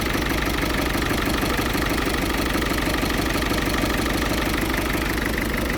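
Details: Ford Fiesta 1.6 TDCi diesel idling roughly with lumpy, uneven chatter about three beats a second and slight rocking rhythm; still smokes acrid when revved, cause undiagnosed, owner plans to check data with Forscan.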